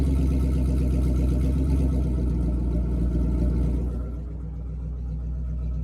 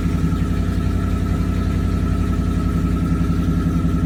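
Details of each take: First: Ford 3V V8 with newly fitted Ford Performance intake manifold and throttle body after a rough first start; strong, even rumble pulling up cleanly on blips with no misfire or knock, sounding healthy. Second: First startup of Ford 3V (old car, slight oil leak) after fitting Ford Performance intake manifold and throttle body, stretched intake hose: fast, uneven pulsing idle with faint steady whistle; rough idle, cause unclear.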